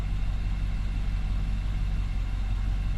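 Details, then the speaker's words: 2019 Nissan Armada, warm at 71°C coolant, after throttle body cleaning and relearn: deep, low, steady rumble with even beat, no surging or stumbling; idle speed stable and correct. "And it is idling good. I mean, it looks like it's idling smooth. It's idling right where it needs to be."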